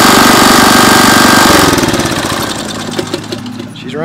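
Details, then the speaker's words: 2001 Briggs & Stratton OHV 5 hp chain-drive rototiller after repair, run on high: loud, even single-cylinder putter with steady firing pulses, then easing off; normal running with no miss. "great everything works on her everything's clean"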